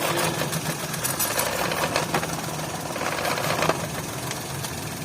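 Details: 2011 Toyota Vitz with code P0303, check-engine light flashing: rough uneven idle with loose knocking stumble and no steady beat; cylinder 3 misfiring from a faulty, poorly fitted fuel injector pulse wire.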